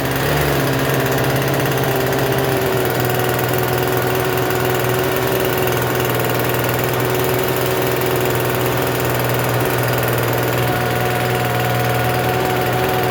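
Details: Free Troy-Bilt TB272V two-stroke leaf blower, restarted after sitting and being worked on: steady fast buzzy idle that never drops back, still idling a little high even with the adjustment turned out as far as it goes.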